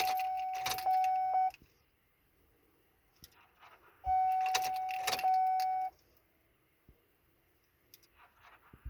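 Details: 2003 Chevy Silverado won't start: keys jingle, then a warning chime sounds twice with no cranking or firing in between.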